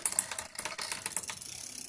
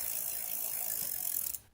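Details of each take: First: Road bike in its high gear with the chain on the big front ring: light, fast metallic ticking and scraping as the chain chatters against the front derailleur, whose high limit screw is set too tight and needs adjusting outward. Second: Road bike rear derailleur after adjuster-screw adjustment: quick, light ticking and soft whirr as the chain runs through the pulleys, fading to a stop; normal derailleur pulley noise, nothing wrong.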